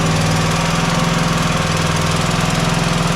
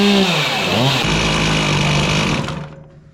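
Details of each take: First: Single-cylinder mower engine running steadily: rhythmic airy whoosh on every firing pulse, about three a second, gas visibly blowing out at the head gasket. Blown head gasket. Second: Chainsaw after emptying old fuel and adjusting the carburetor: crisp, even two-stroke scream that revs up cleanly, holds steady and shuts off without stumbling; running properly.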